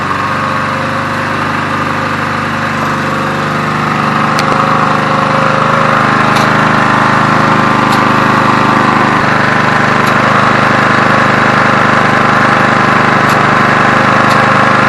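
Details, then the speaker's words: Briggs & Stratton vertical-shaft portable generator dated 1981, salvaged from the tip, just started: steady, even single-cylinder chug at idle with a light rattle, no misfire; runs well, though it doesn't seem to rev up, possibly due to the governor. "nó chạy và nó chạy rất tốt ừm có vẻ như nó không tăng tốc nhưng đó có thể là do thống đốc"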